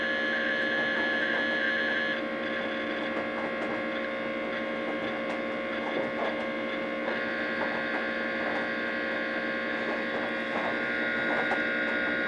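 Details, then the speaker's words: 1987 DEC VAXstation 2000 running the disk verifier on its RD54 hard drive. A steady hum with irregular, rough ticking seeks about four a second means the hard drive is faulty and likely failing. "recognises that it's an rd54 so yes go for it doesn't sound happy [Music] okay so it looks like this one's got a faulty hard drive in it"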